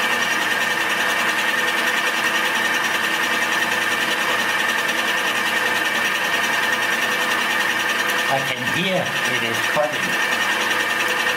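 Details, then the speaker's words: Homemade fly cutter at a much slower spindle speed, taking a light cut to flatten aluminium: a steady, even cutting whir with a clean high ring and no chatter or rubbing. The machinist can hear whether it is cutting or dull. Normal cut. "I don't know if you can hear it, but I begin to can hear when it is cutting and when it is dull or not cutting."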